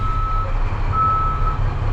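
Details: Snow plow truck with PTO on and front plow raised, reversing out of the garage: steady high beep about once a second over a low diesel rumble; reversing beeper working normally.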